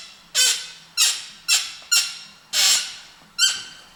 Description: After 7.678 km (4770 mi) the mid drive suddenly started to give a creaking noise. When I disassembled, it was revealed that there were several cracks on the torque sensor, which made this scary sound.